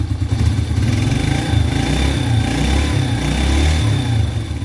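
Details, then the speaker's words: Yamaha Vega R four-stroke after piston replacement (original size 50) for heavy white smoke, exhaust not yet fitted, head oil line being checked: low, steady putter at idle, even firing, no knocking or rough noise; engine smooth and healthy. "Mesin udah halus, tinggal Ryan nunggu langsamnya enteng. Suara juga udah nggak ada kendala kasar."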